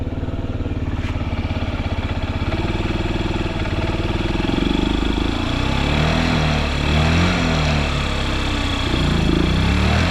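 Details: Honda Zoomer carbureted scooter (AF58): small single ticks over at an even four beats a second, quiet and steady with no knocks or rattles; healthy idle.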